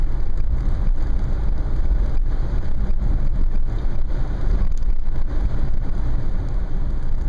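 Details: 2010 Nissan Murano with sunroof open, recorded in cabin at about 25–30 mph: deep constant low rumble and wind buffeting.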